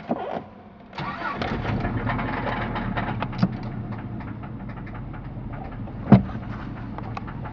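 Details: 1991 Subaru Legacy AWD turbo, just after fixing a major oil leak caused by a heater hose used as the turbo drain and no crankcase ventilation: it cranks and catches into a rough idle with a faint steady clatter low in the block; bad bearings suspected.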